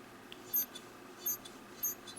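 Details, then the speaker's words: Boker Griploc folding knife: three faint thin high squeaks as the blade opens and closes; dry spring is a little squeaky, could be oiled at its ends. "In this particular case, there is a spring, which you can hear. It's a little squeaky."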